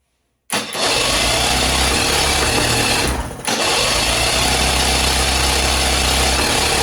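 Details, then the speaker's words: 1968 Electrolux Penta E-50 43 hp three-cylinder two-stroke outboard, unrun 20+ years, choke on, in water barrel, propeller removed: cranks and catches, then runs with an uneven lumpy beat; plugs 2 and 3 look as if never fired. Running on one cylinder; wires or coils suspected. "The spark plugs from the second and third cylinders look like they've never been firing. Could the engine really be running on just one cylinder?"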